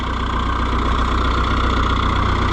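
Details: Oliver 1365 diesel tractor, which quit in the field, idling: steady, even idle with a firm low beat and no knocks or misses; normal, healthy running.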